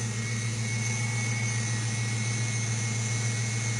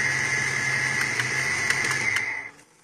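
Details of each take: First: 5.0L Mustang with EEC-IV TFI ignition module, at the moment idling smoothly with an even low hum and no stumble, miss or surge. Tapping the module makes it act up, and the car intermittently stalls. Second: 5.0L Mustang with EEC-IV TFI ignition: it idles steadily with a high whine, then cuts out abruptly and spins down to silence when the TFI module is tapped. The failing module drops out, confirming intermittent stalling from a bad module.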